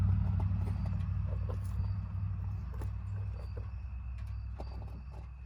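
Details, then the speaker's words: 2020/2021 Ford Transit 350 HD EcoBoost AWD (Coachmen Beyond van), engine just shut off and very hot, hood open: low steady hum with scattered faint ticks and pops continuing; fluids look okay, popping source unknown. "my fluids look like they're okay i'm not sure if there's any fluid in this in this thing but yeah something's still popping in there"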